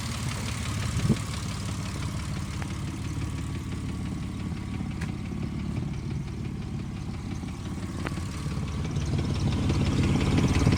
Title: 05 mustang ticking noise , exhaust noise